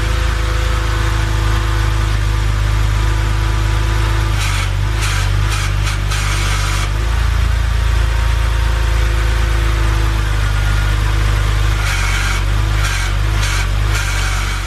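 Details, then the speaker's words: BMW 130i LCI with hydraulic power steering that feels heavy at low speed, idling before a fluid flush: a rough hissing groan twice while held at full lock. The owner suspects the steering rack; unconfirmed. "did you guys just hear that noise that really did not sound good i don't know if that's coming from the steering rack itself"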